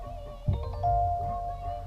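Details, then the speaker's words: Kia, engine off on a 95–100°F day during AC/Freon check, push-start car: power switched on, seat and steering wheel move, then a clear bright bell-like chime with steady ringing tones; normal power-on welcome chime. "That comes on. Cool little whistle bell."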